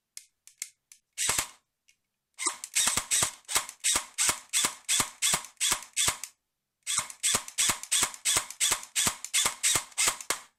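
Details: Colt M4A1 airsoft AEG in semi-auto: sharp shots about three a second, then the trigger just clicks without firing; switching to full auto and back often cures it temporarily. MOSFET, motor, connectors, gears, shimming, trigger contacts and anti-reversal latch were already addressed.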